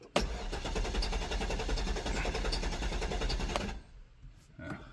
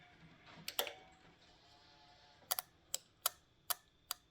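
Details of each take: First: Low-mileage Cadillac STS after sitting in the woods a year: starter cranks the engine evenly for several seconds but it never fires; fuel very low with car tilted forward, possibly not picking up fuel. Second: Cadillac with cylinder four misfire (P0304), hot engine splashed with fuel: checking a known-good injector for comparison gives crisp, sharp ticks about three a second, a healthy injector snapping open each time it's powered.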